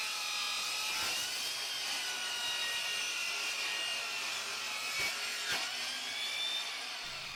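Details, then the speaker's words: Dovaman DMS01C 10-inch sliding miter saw with a brushed motor, making a 45-degree bevel cut through thick wood: a hissing, rasping cut with the motor whine sagging near stall. The saw is bogging down under load. "You could hear it really well at the end of that cut right there. It was really slowing down and probably couldn't take too much more of a challenge before it either cut out"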